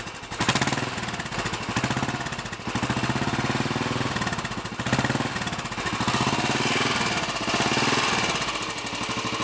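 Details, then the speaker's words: Royal Enfield Bullet 500 single after head gasket replacement, exhaust blow at head fixed, baffle removed and carb needle raised, cold on choke: even, steady thump with deep exhaust boom, no knocks or rattles; normal idle. "certainly a little bit more of a Boom coming out of the exhaust now than it was"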